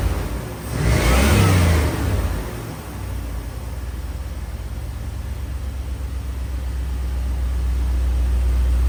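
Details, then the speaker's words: 1992 Chevrolet Silverado TBI after K&N cold air intake install: quick throttle blip rises and falls cleanly, then settles into a smooth, even low idle; owner feels more power; normal. "I can say right now I feel a way better acceleration it feel like it got a little bit more [Applause] power that's how she's looking right now she sound good look good"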